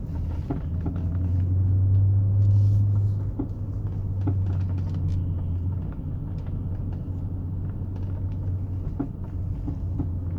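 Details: BMW E39 535i clunking from the left front corner when turning the wheel; dull clunks and knocks over low engine rumble. Outer and center tie rods, bushings, springs and shocks already replaced, getting worse, cause unknown.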